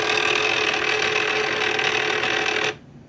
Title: cricut wont load mat plus loud grinding sound